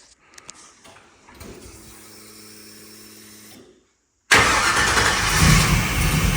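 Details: LS V8 swap (thought 4.8) in a truck, after reconnecting a sensor connector that wasn't making contact: brief hum, pause, then catches on the key and settles into a loud steady run; starts fine.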